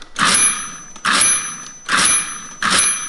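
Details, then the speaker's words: 1950s Friden STW-10 mechanical calculator after freeing the tight transfer shafts. Minus one from the home position gives four clear, bright dings about 0.85 s apart: the overflow warning bell works again on spring transfers 13 and 14. "bell works again because it's only sensitive on the last digit that's over the last transfer. So now that I am in the home position, if I do minus one, ding, I have, and those are my spring transfers 13 and 14, so they all work."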